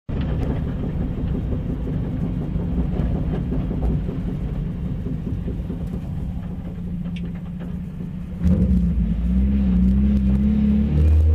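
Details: 1992 Mazda Miata small petrol engine: steady low rapid knock that grows louder as revs rise.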